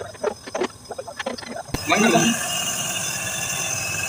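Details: Package AC unit, worn blower bearing: after a sharp start, a steady rushing whir with a thin high whine and rough hiss; bearing needs replacing.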